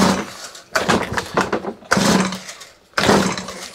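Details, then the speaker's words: Stihl HS81T hedge trimmer brought in for not starting, manual choke on after primer pumps: three harsh pull-start bursts about a second apart that never catch; a no-start, cause not yet confirmed. "so nothing at all coming off of this machine"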